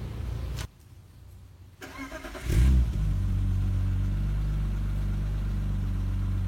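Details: 1995 BMW E36 320i automatic, M52B20 engine, cold start after sitting overnight and after tensioner replacement. It cranks briefly, catches and settles into a smooth even idle with the earlier timing-chain-end ticking gone: normal start and idle.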